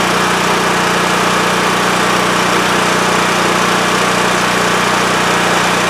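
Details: WEN TF1450X 14500W tri-fuel generator that used to lose spark and die after 20 seconds, after repair: steady constant engine hum with no surging or dying past 20 seconds; running normally.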